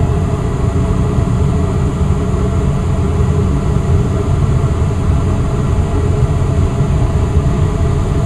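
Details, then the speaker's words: Westinghouse gas furnace in attic, blower shifting into high-speed mode after thermostat raised; steady even rush of air with deep low hum, no ticking, scraping or wobble, vents blowing heat. Normal blower at high speed. "Now since I turned up the temperature a little bit higher, the fan is going to go into high-speed mode. Alright, now I can hear the fan go into high-speed mode."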